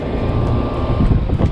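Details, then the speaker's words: AC outdoor unit just after replacing a failed ~7-year-old run capacitor: steady low hum with even fan whoosh and faint constant tone near 1 kHz; condenser running normally after repair. "so before yeah I can hear the condenser humming so uh definitely uh working right now"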